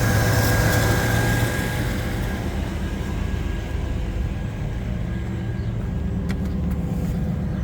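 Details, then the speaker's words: 1995 Chevrolet S10 Blazer V6 started cold at about 20-some degrees and smoking: even steady idle with no engine knocks or ticks; slight noise suspected from an accessory tensioner or idler pulley or serpentine belt; engine healthy. "sounds really good the only noise I'm hearing sounds like it might be from one of the pulleys for the accessories maybe a tensioner pulley idler pulley probably the serpentine belt"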